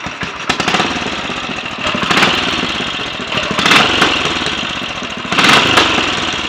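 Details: Royal Enfield 500 single (Asbo 34), rebuilt with ported head, barrel shortened 2 mm, Hitchcock's 9:1 piston, strobe-set timing; third start, about 10–15 minutes running since rebuild: slow even idle thump with occasional throttle blips, no rattles, leaks or smoke, plenty of compression; normal.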